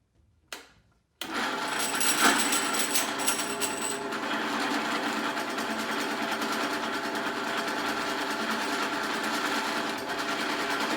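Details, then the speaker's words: 3000GT/Stealth 5-speed AWD transmission on a drill-press test rig after re-pinning the 3/4 slider fork to center the slider: steady even whir in neutral with no chatter or rattle. "neutral no more chattering soon as they engage in neutral lockout for that year is actually said it works it's not chattering"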